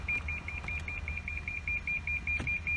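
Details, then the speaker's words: 2014 Lexus LS460 push-start, flooded in Hurricane Harvey, with no ignition power and a dead dash: rapid, steady high-pitched beeping about eight chimes a second whenever the brake pedal is pressed. "Now, one funny thing I do notice is that if you hear that, the vehicle actually is beeping when I push down on the brake pedal"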